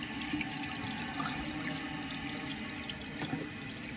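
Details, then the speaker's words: Running toilet: steady hiss of water trickling in the tank after the flush; the flapper lands off-center and doesn't seal, partly because the handle interferes, so the whole fill and flush assembly is being replaced with a Korky kit. "So when the flap comes up, it doesn't always land back centered. You can see it's a little off center now."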